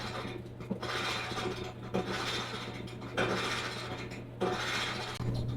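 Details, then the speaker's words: Maytag dryer running: rhythmic scraping squeak and grind repeating just under once a second as the drum turns; cause unknown, bearing or wheel suspected, possibly worn drum roller or idler. "What do we think it is? Bearing? A wheel? Sounds pretty nasty."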